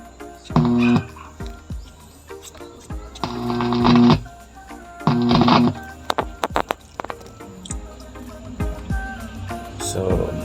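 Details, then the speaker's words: DB Audio Set 502 amplifier playing music with sharp crackles and pops like welding sparks. "yan yung tunog na parang mo malaman kung may nagwe-welding or ano ano ang tunog na yan."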